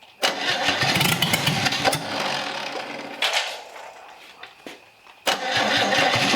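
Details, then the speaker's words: Old Chevy 250 straight-six out of a 1964 C10, after sitting: engine catches and roars while cranking, then sags and fades as soon as the starter is released, catching again only on the starter; dies when starter released. "as soon as it comes off the starter it's freaking done like I can keep the starter and it'll keep running it doesn't make any sense"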